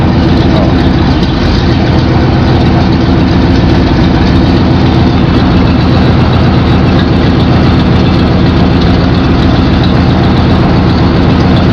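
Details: 1992 GMC K1500 5.7L V8 idling with a deep, lumpy, uneven beat as cylinders intermittently miss; the truck misfires at idle and sometimes cuts off.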